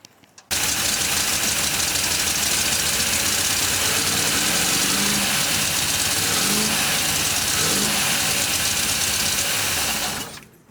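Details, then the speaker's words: Cobalt boat with MerCruiser 5.7 V8, previously locked up, first start on possibly bad gas: rough loud running with uneven clunk every rotation; suspected bottom end, flex plate, or unpumped hydraulic lifter. "it's got a clunk down there it's either bottom end or flex plate you hear cl cl cl every time it rotates"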